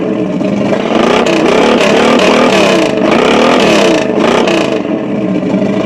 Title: Chevy 350 misfire?